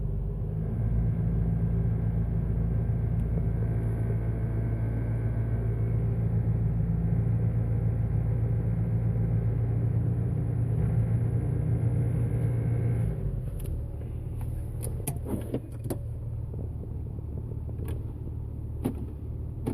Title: Jeep Wrangler TJ Buzzing Sound at low RPM